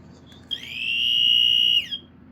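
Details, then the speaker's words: Dicon 400L photoelectric smoke alarm, likely late 70s/early 80s SuperTex SD2 circuitry, on test: single high-pitched tone swells, holds just over a second, drops away quietly; weak alarm tone. "Well, it's going off. It's going off, but it's like really quiet for some reason."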